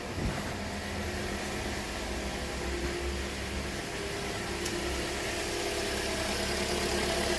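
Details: 2007 Toyota after a crank, no-start fix: steady, even idle with a smooth low drone and no misses, knocks or hunting. Normal idle.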